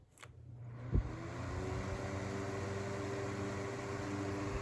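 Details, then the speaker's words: 2004 Duracraft Turbo Fan DT-70 (the better-running of two) on high speed: switch click, then a quiet, steady airy hum with a faint even motor tone, moving a respectable amount of air; normal, smooth running. "it moves a respectable amount of air. I mean, it's a pretty decent fan."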